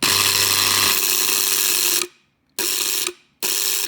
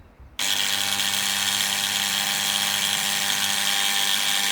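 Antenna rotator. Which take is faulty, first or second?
second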